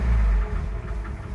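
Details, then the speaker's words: 1966 Ford F100, choke pushed in, oil pressure gauge possibly not working: low, uneven idle rumble with faint repeating taps riding on top; a knock is present, source not yet pinned down. "But you can hear the knock."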